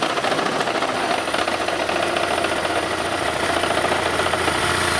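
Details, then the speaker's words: 2012 Toyota Prius, 2ZR-FXE petrol engine idling with an uneven, stumbling beat from a misfire; the spark plugs were in bad shape and likely never changed, and these wild noises came right away at every start. "Every time I started it before, I mean, immediately it had these wild noises going on."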